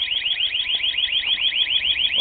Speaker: There we go. Okay, good, it works. Good. Alright. Took a while, but it worked.